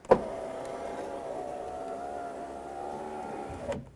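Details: 2001 Lexus GS300 3.0L after new window regulator and motor installed, key on, window run up in manual mode: smooth even motor whine about 3.5 seconds ending in soft stop at top; window runs freely.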